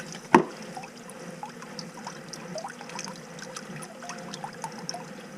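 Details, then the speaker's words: Sump pump discharging continuously in a basement with constant groundwater inflow: light, steady trickling and splashing of water running out, no knocking or grinding; normal sump pump discharge flow, pump doing its job. "so you hear the water running the pumps actually doing its job because this has ground water in the basement so there's so much ground water coming in it's nonstop"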